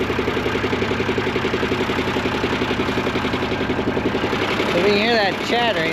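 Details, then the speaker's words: Hay tractor at low idle, front hydraulic pump recently replaced and never quite right since, worked all winter, needs idling up to get fluid to it: rapid, steady chatter nearly three beats a second over the idle; cause unconfirmed. Hydraulic pump chatter at low idle. "that's that front pump chatter. We just had all that replaced and I don't know. I feel like it's never worked 100% right since we got it. It's really got to be idled up in order to get fluid up to that front pump."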